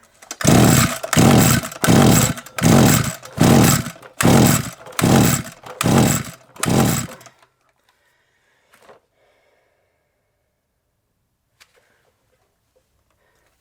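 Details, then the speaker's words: SGS Engineering 26cc two-stroke strimmer; eight regular pull-start strokes, about one a second, with no firing, and fuel coming out the exhaust. Flooded engine, though spark is present. "should have had some foreign let's get rid of that let's check that again all right as well flooded you know it's all coming out the exhaust"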